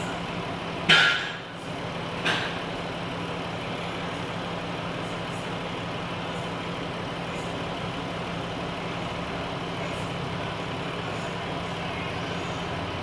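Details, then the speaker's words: 3.6 Pentastar Chrysler/Dodge minivan after oil cooler repair, engine hot during coolant bleed with spill-free funnel: two clicks, then loud steady radiator fan roar over idle as trapped air makes it run hot; fans at full speed from overheating. "Now you can hear the fans are really going because it's in freak out mode. Oh my god! Oh my god, it's getting hot!"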